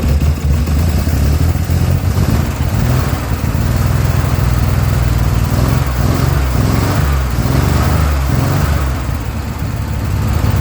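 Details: Chevrolet Corvair Rampside flat-six, first run after 15–20 years sitting in a barn: low throaty rumble with steady firing, revs rising and dipping, no knock or misfire; running fine.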